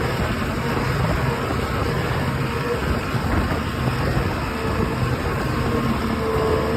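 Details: OX66 outboard with a rough, gravelly grind riding steadily over its low running drone; new spark plugs stopped it only briefly, compression excellent, prop not slipping, source unclear.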